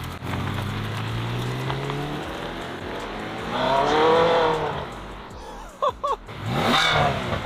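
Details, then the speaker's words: Ferrari 360 Spider after full repair including timing belt work, sludgy oil found earlier: engine picks up cleanly with a smooth rising rev as the car pulls away; runs even and healthy. Head gasket condition still uncertain. "This sounds awesome."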